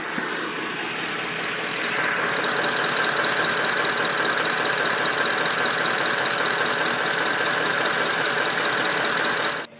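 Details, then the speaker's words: Ford 5.4L 3-valve V8 at idle: light, fairly regular tapping about four per second over the engine hum, louder on the right side, coming from the right-hand head valve cover area; cam phaser knock. "go to the right side and you're probably going to hear it a lot more and that's just it's just resonating through the energy department and it's actually coming from the right hand head metal cover area"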